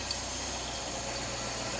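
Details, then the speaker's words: 1989 Citroën CX 2500 GTI petrol, off the road since about 2007, warm idle, smooth and quiet engine: steady hiss and rushing air sound; odd sucking noise, owner suspects intake sound. "could also just be the intake sound we can hear sounds a bit weird"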